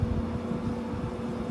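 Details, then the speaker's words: GE AHTE06AAQ1 6000 BTU window air conditioner, Quingan compressor: a smooth, low, steady hum with a clean tone and no high-pitched whine or rattle. It is arguably the best-sounding compressor of the modern units compared; normal compressor hum. "So this is a pretty good sounding compressor in here, I'll give it that. The compressor sound is really nice."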